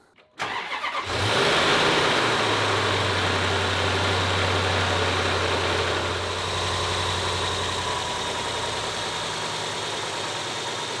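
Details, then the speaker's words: 2011 Range Rover V8, auction car with engine knock: after oil change knock vanished at startup, but light fast metallic rattle remains at idle; distinctly timing chain rattle. "now the noise that's left over i can distinctly hear the rattle of a timing chain"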